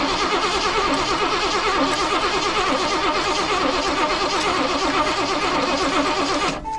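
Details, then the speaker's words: Birchaven 23-ft motorhome, Quadrajet carb, first runs after sitting 12 years: starter churns steadily six seconds without firing; fuel pump apparently not pulling fuel up, so bowl refilled by squirt bottle. "Nope, not gonna do it. So I'm gonna go grab that tank and or that squirt bottle and fill that float bowl up again."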